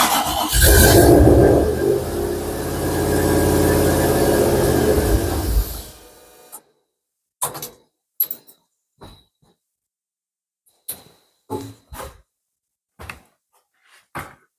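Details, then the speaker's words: Mk1 Ford Capri turbo Rover V8 on an unmapped ECU, cold morning: catches and runs unevenly about six seconds, then fades and stalls off throttle; won't idle alone, owner thinks it is a bit rich. Engine dies unless throttle is held. "t of unspent fuel down the cylinders it doesn't keep running you can have the turbo spinning that's cool think it might be a little bit Rich"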